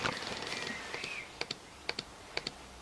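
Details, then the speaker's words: Two-stroke oil injection, engine off, after releasing throttle: crisp paired ticks about every half second, steady and even, oil pump stroking normally and jetting oil into the duct. "On lâche la poignée et là on doit entendre la pompe à huile quoi qui sort l'étrangleur et ça doit goûter."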